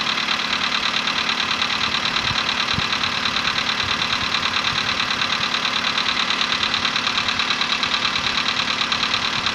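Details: VW Polo Sedan, CFNA petrol engine, 105,000 km, before decarbonizing: cold start at 20°C after ~15 hours parked; steady quick ticking knock about three per second over even idle; cold piston knock that fades within a minute.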